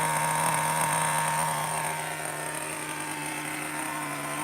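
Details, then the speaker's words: Traxxas T-Maxx Classic 2.5 nitro RC truck idling after starting, now a runner with working reverse: steady high buzzing idle, even pitch, no sputter or dropouts; runs beautifully; normal idle. "You might not be able to hear it too good, but run it or or not run it. All right. Reverse forward. Can't kill the reverse, bro. It seems to run beautiful now."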